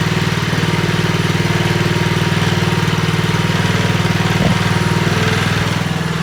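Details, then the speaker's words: Honda Commercial HRC216HXA mower picked from the trash, first getting it running; crisp regular single-cylinder beat at steady idle, no misfires or rattles; sounds wonderful. "to it it sounds wonderful"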